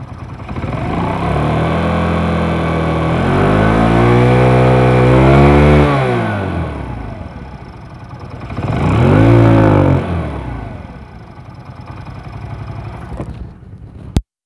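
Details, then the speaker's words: Old first-model Hero Splendor after replacing oil pump shaft and parts, oil reaching head: revs rise and fall cleanly twice, then even idle with no rattle. Normal running after repair. "বাইকটার sound একদম ইনশাআল্লাহ পুরাতন bike হিসেবে অনেক সুন্দর sound হয়ে গেছে।"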